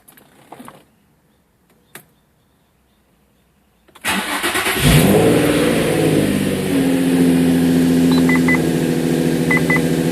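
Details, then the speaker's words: 2005 Infiniti G35 6MT with VQ35DE Rev-Up, started after coil pack and spark plug replacement for a P0300 random misfire: brief crank, clean catch, then a smooth, even idle with no stumble or miss. "I'm going to fire it up after the coil pack replacement spark plugs so let's go ahead and give this Beast an old fire up here"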